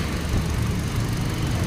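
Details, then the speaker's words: 2020 Hyundai Accent petrol idling after new ignition coil fitted and P0300 misfire code cleared: steady low hum, no stumbles or popping; check engine light gone. "na Nawala yung check engine nawala na yung check engine tapos iangat natin to dapat may ay pumuputok putok dito Wala na ayan"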